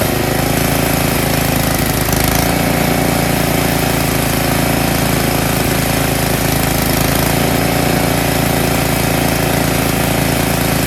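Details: Tecumseh snowblower engine after cleaning a clogged carburetor pilot jet that caused surging: small single-cylinder engine holds a constant, even beat with no rise and fall in speed; steady governed run, no hunting.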